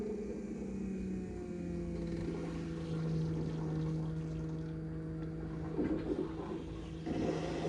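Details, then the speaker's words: BMW F15 X5 35d after fuel filter replacement, fuel pump powered directly from an impact battery via alligator clips to prime: steady low electric hum with faint gurgling as air is pushed through; normal fuel pump priming. "i'm sure you guys heard that right you can hear all the the air being pushed through now normally when you do like a scan tool uh and prime the system it'll prime like three to five minutes"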